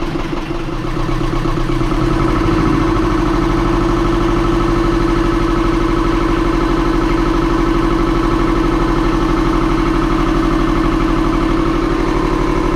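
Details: Self-built 31.8ft junk schooner sailboat's inboard diesel run up after checks (sail drive seals recently redone, oil full and clear; strainer clean; coolant good): fires promptly, steady even idle clatter with no knocks or misses. Healthy idle.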